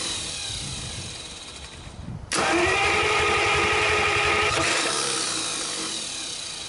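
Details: 1949 Buick straight-8, first start in years, with distributor cap and rotor from a 1950 parts car and gas fed to the carburetor; steady whirring crank for several seconds that never fires, cause not yet known.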